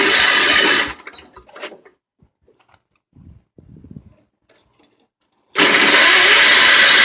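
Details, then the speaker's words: Old Wheel Horse tractor after cleaning the ignition points to restore spark: two bursts of steady cranking with a quiet gap, never catching; crank no-start, the carburetor is suspected dirty and next to be cleaned. "well yes the next thing would be cleaning the car burger"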